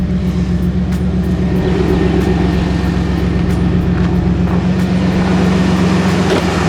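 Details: 1996 Chevrolet Blazer after alternator and thermostat install, revived after sitting non-running with an earlier oil starvation issue: loud, even open-header drone with a steady pulse of about four beats a second, no clicking or rattle; normal clean idle.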